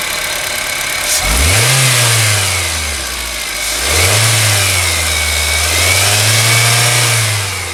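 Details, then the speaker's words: Honda Amaze, about 2014-15, petrol CVT automatic with CNG fitted, about 77,000 km, engine blipped while parked: a thin whine that rises and falls with revs over the engine note. It was traced to a worn bearing causing a humming noise, which was replaced. "So guys, as you just heard, ये जो whining sound आ रही है ना, वैं, ये भी एक issue है, ये भी चेक करना है।"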